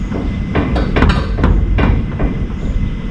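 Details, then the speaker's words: Camaro after rear 3-inch lowering leaf springs, QA1 shocks and CalTrac traction bars, first set on the ground: irregular heavy clunks about two a second over low engine rumble; owner suspects the loose, untightened CalTrac bars. "Oh, it's probably the uh that's the cow track bars making that noise. They're not tight right now."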